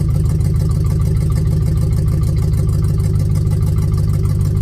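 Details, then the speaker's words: 1967 Chevelle, budget-rebuilt engine run about 10,000 miles since new rings: loud, lumpy idle with an uneven lope, about one stumble a second, like a weak cylinder; owner suspects a burnt valve, unconfirmed. "But being around metros all my life, you kind of get used to what a burnt valve sounds like, and that's kind of what it sounds like."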